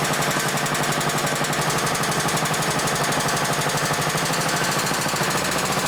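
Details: 1960s-era roughly 10 hp Briggs & Stratton (Hale fire pump), recently tuned with fresh oil, some old fuel left, started on choke: steady even chugging about four beats a second, no misses or knocks; normal running, slightly smoky (owner suspects rings or old fuel).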